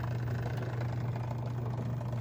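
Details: LG front-load washer (model WM3…) with OE error, final spin cycle, clamp opened: steady low hum with slight flutter as the drain pump labours, moving little water, against a clogged drain hose assembly (pump already replaced; new hose fixed it).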